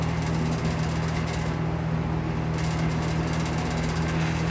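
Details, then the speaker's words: McGraw Edison Comfort Fan, owned since 2007, restored in 2020 and well oiled, running outdoors in wind: a faint steady low motor hum under the airflow rush, unchanged when the grill is touched. The owner is chasing this hum and a hub wobble, cause unclear. "So, you might you might hear some sounds from the wind wind pressing on the fan. See, like now it sounds pretty good, but slight palm."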